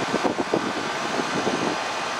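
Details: Goodman AC condenser on a no-cooling call, fan running with a steady, even whoosh, no clicking, buzzing or struggling, after the old 40/10 capacitor was swapped for a stock 35/5 dual run capacitor; normal running.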